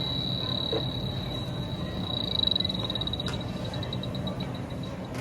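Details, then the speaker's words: Supermarket refrigeration case checked with an H10 refrigerant leak detector: steady high-pitched alarm tone with brief pulsing over faint hiss, confirming a leak the DTEK Stratus missed; leak later traced to Schrader cores. "Well, that that settles that we have a leak in there. And unfortunately, the Stratus didn't pick it up."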